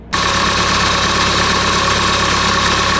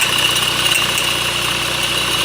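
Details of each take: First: 2008 Honda CR-V 2.2 i-CTDi diesel, after replacing the alternator freewheel clutch (OEM 31141-RBD-E02). An even diesel idle with steady clatter and no high squeal from the drive-belt area: the noise is gone and the engine runs normally. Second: 2008 Honda CR-V 2.2 i-CTDi diesel at idle: steady high-pitched scream over a smooth idle, higher than belt slip, coming from near the alternator; the alternator freewheel (overrunning) clutch pulley is failing.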